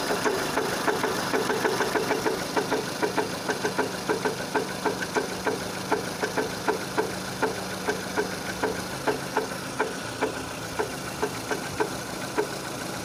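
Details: 2006 Renault Scenic 2, K4M 1.6 with automatic, 202,000 km, warming up: sharp steady knock about twice a second over a fast idle from low in the engine, a knock that appears as it heats; cause not confirmed.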